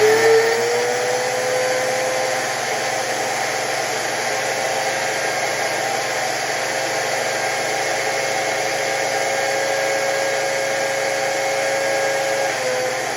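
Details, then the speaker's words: Milwaukee 6148 grinder after rebuild: whirring tone climbs in pitch over the first seconds then holds steady, sluggish spin-up where it once went straight to full speed. "So, we're going to measure and we're going to watch and see how in the beginning it's a lot slower and then it gets faster. It used to just go from zero to a million, but it's not doing that now."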